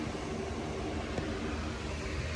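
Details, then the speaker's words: 2009 Mercedes-Benz C300 (W204) sport, 6-speed manual, heard from underneath at idle: steady low rumble with raspy puffing edge; exhaust leak, the entire piping broke and cracked off, needs welding or new 2–2.5 inch pipe. "this is the exhaust leak the entire piping broke cracked off see that"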